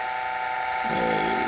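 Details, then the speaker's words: Bedini SSG battery-charging rotor spun up at 28 V, an hour into the test, slowing to 1716: steady high hum with a rising, rubbing whirr over it as the rotor slows; noisy running, cause not found. "So, just a real quick update. We're an hour in and you can hear it's making a lot of noise now."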